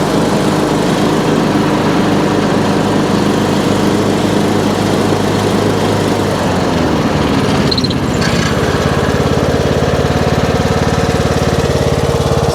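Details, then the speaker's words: Troy-Bilt Pony riding mower, belt in good shape: deck engaged for a quick test, loud steady engine drone with spinning blades, no grinding or rattling, smooth pitch shift; deck runs normally, blade brake works. "So we'll just try it real quick, see what the deck sounds like, and then we'll bring it back into the shop and start looking over some of the other stuff."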